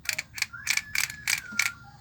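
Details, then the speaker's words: Hummer PLI12 cordless drill-driver, motor already repaired and now turning both directions: short bursts of dry clicking and rattling, about four a second, over thin motor whine; something in the gearbox seems loose, suspected, not confirmed, before gearbox teardown. "Agora vou dar uma olhada nessa engrenagem aqui, porque eu não tô gostando desse barulho aqui não. Parece que tem alguma coisa solta, tá vendo?"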